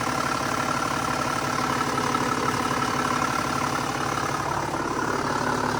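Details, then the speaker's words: Mercedes E320 CDI turbo diesel, first start after purchase with fresh oil and the glow plugs and fuel pump primed: even, steady diesel clatter at idle with no knocks or misses; it fired right up and sounds good. "all right fired right up okay sounds good sounds really good"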